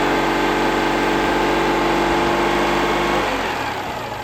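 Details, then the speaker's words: Citroën 2CV abandoned since 2017, first start after 7 years off the road: fired straight away, even flat-twin idle with a steady beat of about four pulses a second, good spark, no clatter, misfire or smoke, easing off near the end; normal idle. "obviously there's a good spark and obviously it sounds good it wasn't clattering and it didn't it didn't plume any smoke"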